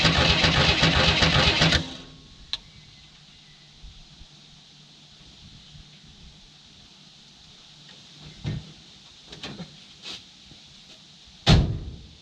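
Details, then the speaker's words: 1967 Chevy II Nova, sitting 30 years, fuel line disconnected, something jammed in to clear flooding. Nearly two seconds of fast, even cranking with no firing. Owner suspects it is badly flooded and may need days to dry. Crank, no start. "so i may just be way too flooded at this point i may have to wait a couple days which is a bummer"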